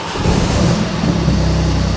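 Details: Flooded Mini Clubman after replacement engine swap, new filters, no fault codes: engine catches and settles into an even, steady idle with smooth low hum, no misfire or knock; normal idle.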